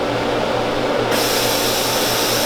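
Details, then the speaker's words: Freedom Patriot CNC router with tool changer, powered up from the main disconnect during its roughly one-minute self-test. A constant machine hum, then a steady airy hiss cuts in as the air purge kicks on. Normal startup. "now, if you possibly have heard in the background, the air purge kicked on."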